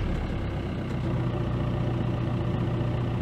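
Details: VW Golf Mk5 after an instrument cluster repair, with the immobiliser fault resolved and ABS long coding reset: it starts and settles to an even idle with a steady low hum, no misses, ticks or knocks; healthy.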